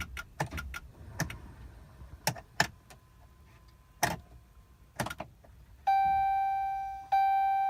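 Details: 2012 Dodge truck: scattered sharp clicks with no engine turning over, then a steady dash chime; no-start with clicking, cause unknown.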